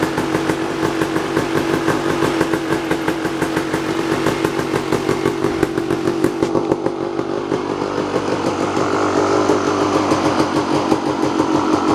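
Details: Kawasaki KX250 two-stroke dirt bike, first start after ten-plus months in storage, on fresh gas mixed 32:1 per old Kawasaki spec: crisp, rapid popping that climbs and falls cleanly with throttle, firing evenly with no bogging; running healthy.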